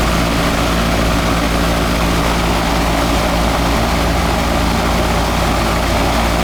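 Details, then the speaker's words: Older residential R22 air conditioning system: steady compressor and fan drone with a low even hum, no knocks or squeals, while gauge pressure keeps dropping; system possibly running a little low on refrigerant. "go turn it on it's going to be a little low we'll just douch it up for you I'm thinking we'll find out right now R22"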